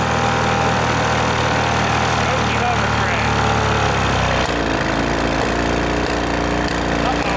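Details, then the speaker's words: 1986 Scat hovercraft two-stroke after a repair, run on a 1:100 oil mix: rough, stumbling, irregular firing with a harsh clatter, losing its beat partway through. Melted piston; owners suspect the oil mix but say the engine may have had a prior problem. "found out Ah that's broken that's super broken"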